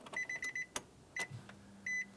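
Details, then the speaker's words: 2007-2012 Nissan Versa after new fuel pump module install, key on, engine off: chimes over a faint steady low buzz as the new pump pushes fuel up to the engine; normal fuel pump priming. "you can hear a slight Buzz coming from the new fuel pump we just installed what's that doing is it's actually pushing fuel from the pump through the fuel line up to the engine"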